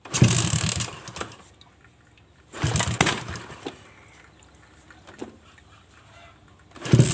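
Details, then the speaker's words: Carbureted Suzuki Shogun motorcycle converted to trail style for heavy loads: cranks and briefly catches, then dies each time and bogs when throttled, as if fuel is not flowing. A clogged main jet or fuel supply is suspected and the carburetor is to be opened. "Bila di starter tidak bisa langsung hidup, walaupun ini ditutup mau hidup tapi langsung mati, seperti bensin tidak jalan."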